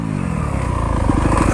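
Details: New Yamaha YZ250F with frequent backfiring, landing a jump: engine note climbs under throttle then bogs hard and cuts out within two seconds to silence; it had run out of gas; engine bog and stall.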